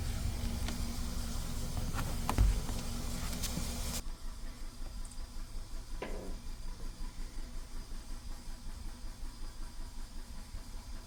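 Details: Audi A3 idling with an uneven, lumpy stumble about three beats a second, misfire on cylinder 3 with codes P030300 and P130A00; described as a simple fix.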